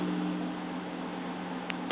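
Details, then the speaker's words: Karaoke system with main power distribution center, powered amplifier and processor, music switched off: steady low hum under an even soft hiss, the normal residual idle noise of the amp. "Now you hear when we turn the music off, hear the residual noise."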